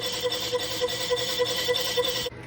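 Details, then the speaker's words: Machine resurfacing on power feed with the spindle slowed down: a steady high ringing squeal pulsing about three times a second during the cut. Cutting tool chatter, confirmed afterward on the surface. "although it sounds like it's chattering so maybe I need to see about remedying"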